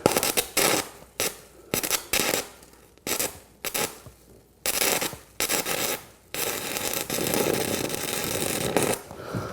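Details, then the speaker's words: Arccaptain 200A AC/DC TIG welder (multi-process inverter) stick welding with 1/8 inch 5P+ 6010 rod: short bursts of harsh crackle keep cutting to silence, about eight times in ten seconds; arc sputters and won't stay lit before arc force is raised. "So it's having a hard time keeping it lit."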